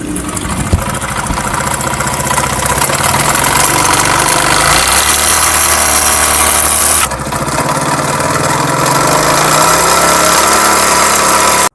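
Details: Honda CD70 motorcycle engine revving up and down with a hard, rapid knock under the exhaust note, loud internal noise before engine teardown; worn connecting rod and bearing.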